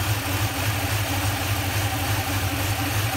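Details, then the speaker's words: Toyota (Tundra/Sequoia/4Runner type) needing several start attempts, now warmed up, under fuel pressure test: low, lumpy idle with pulsing exhaust rumble and excess shaking; motor mounts suspected, unconfirmed. "that kind of low in that kind of shakiness at this low idle even even a normal idle it shouldn't be vibrating too much you think that's the motor mounts"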